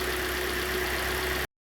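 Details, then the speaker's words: Hyundai i40 G4NA, only 60,000 km, knocking engine after winter, recent oil change, scored cylinders, heard from outside: quiet, even idle hum with faint steady whine, no knocking or ticking; runs quietly and evenly. "Ну что слушаем снаружи и заканчиваем данную серию работает тихо работает ровно на этом всё до новых встреч ребят до свидания"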